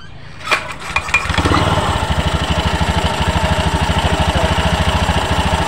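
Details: Honda Beat ESP after replacing the worn CVT roller housing/rollers and sliders to cure a noisy CVT: engine catches after a few cranks, then settles into a steady, even idle with no rattle or grinding from the drive side.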